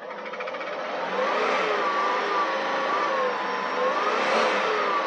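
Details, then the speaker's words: Ford Mustang with a 5.0 HO V8, revved to about 5000 rpm after a jump start with stale fuel. The note is slightly uneven and wavering; a misfire is suspected, possibly a fouled plug, unconfirmed. An exhaust leak was also noted. "5000 rpm rpms like it ain't nothing she's definitely got a misfire i bet you there's a problem with one of the plugs one of the plugs are probably fouled or something else"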